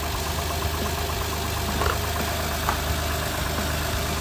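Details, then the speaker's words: 2009 Honda Pilot Touring, 350,000 miles, after charging-system repair (check charging system message, no reverse, no start): steady idle, no belt squeal or whine, belts aligned, 14 volts at idle; normal, called fixed. "That should stay that high. Everything sounds good. Belts alignment. 14 volts at idle. That's good."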